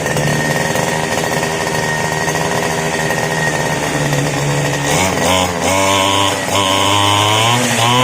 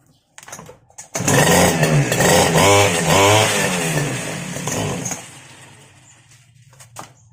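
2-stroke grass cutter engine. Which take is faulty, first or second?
second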